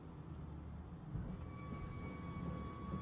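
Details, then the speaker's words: 2013 Audi Q7 TDI diesel after a fuel filter change: thin, steady whine over a low hum as the transfer fuel pump, run via VCDS basic settings, primes the new filter to purge air. Normal. "So if you guys can hear that whining sound, that's the fuel pump running, and that's priming this filter."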